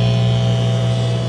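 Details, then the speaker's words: Circa-1959 Philco tube AM radio, recapped, new converter tube fitted: only a steady low hum, no stations; 455 kHz IF signal passes, so oscillator suspected; cause found to be an open winding in the oscillator coil. "okay I need to put it on put it on that and it is passing the 455 khz signal through it so the if circuits are working okay when this happens usually it means that the oscillator circuits aren't uh working so we'll need to take the circuit board out to try and see what's going on with it"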